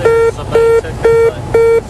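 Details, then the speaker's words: Gear-up warning on a Canadair Regional Jet during a check-ride landing approach in California: a mid-pitched beep, about two per second and repeating, which the crew ignored while distracted on the base-to-final turn. "they are ignoring a warning system you'll hear a beeping that is the gear up warning system"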